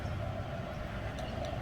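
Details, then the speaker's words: 4th-gen Toyota 4Runner (2003–2009) started by a newly installed plug-and-play 12 Volt Solutions remote start kit: steady low rumble with an even, smooth beat, nothing knocking or squealing; engine caught and idles cleanly, normal start and idle. "Cranked on up. And then to turn it off, you hold it down and it cuts off."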